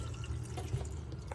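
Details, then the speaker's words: Water pump in a Fiat Ducato-based Nu Venture Elise camper, fresh tank filled, cold tap opened: low steady pump hum under running water, kicks in straight away, clear flow without coughing or spluttering; normal pump operation. "I can hear the pump just kicked in straight away, so that's a good sign."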